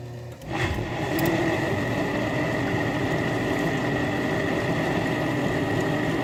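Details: 8-year-old Miele Diamante dishwasher, toe-kick and front access panel removed, during water circulation wash: pump starts with a thump then a loud, steady coarse grinding drone from inside bottom; filter, valve, impeller fine; owner suspects circulation pump or motor.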